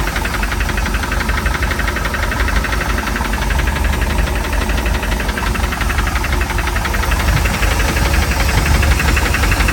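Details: Mercruiser 3.7 marine engine at startup idle: loud, steady knocking at about three per second over a rough drone. It is a deep bottom-end knock attributed to bad bearings.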